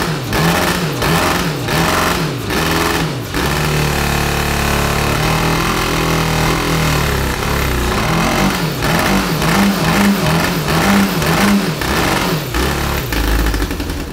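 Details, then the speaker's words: 1982 DOHC Honda CB750 cross-kart engine: lumpy, stumbling, hesitant running with two cylinders not firing while outer cylinders 1 and 4 work. Fuel or spark is unsure; the owner leans toward ignition. "i figured out that the two cylinder cylinders are not functioning on this engine so is it fuel or is it spark i'm not sure"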